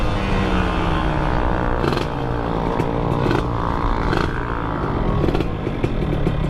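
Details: Suzuki Satria two-stroke with a ported engine, revved on the stand, ignition timing suspected too advanced: a loose metallic clatter from the clutch side over the exhaust note, primary gear backlash rattle, plus slight piston noise judged harmless.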